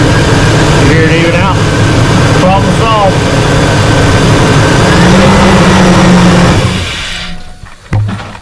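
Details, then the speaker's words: GMC Yukon V8 that had been running on seven cylinders, after replacing the number 2 coil pack: a steady, even idle with a smooth low rumble and no skip. "okay guys he's gonna Crank It Up and I'm gonna unplug it and see if we cure the skip problem here the motor is uh looping along here"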